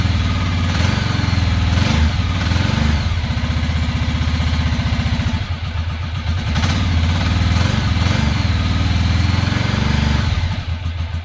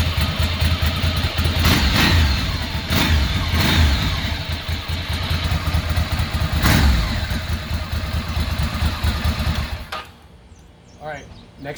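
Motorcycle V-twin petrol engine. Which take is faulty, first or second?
first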